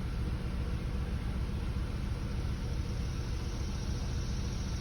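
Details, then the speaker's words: 2004 Buick LeSabre petrol engine, low uneven idle with a lumpy pulse after reassembly; misfire not fixed by the coil, caused by the failing ignition control module the coil plugs into. "that idol is still sitting here it still feels like it's still a little rough"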